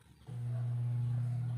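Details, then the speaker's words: Spin dryer motor starting with a strong steady low hum and running evenly after being wired directly without tester; previously only hummed without spinning, diagnosed as faulty starting capacitor. "kung napapansin niyo ay gumagana na ayan or umuuga uga kita niyo naman siguro"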